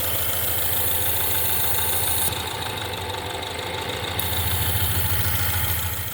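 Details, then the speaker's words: 2016 Mustang 2.3 EcoBoost with a replacement engine and reused intake/turbo, at idle. Idle pulsing about three times a second under a constant hiss. Air leak from a cracked intake pipe between the air filter and the turbo. "Also, turbo pipe. It's got a crack in it, which is this pipe. They reuse the intake, they reuse the turbo. You can hear that."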